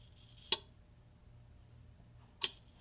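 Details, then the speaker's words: CSI1802X bench power supply, after replacing a shorted capacitor: two sharp relay clicks over a faint hum while the voltage knob is turned. The chatter is much improved, but a slight background relay noise remains when adjusting. "but nevertheless you can still hear there's this weird little background noise in the relay when i adjust it which is fine but it's a little bit annoying"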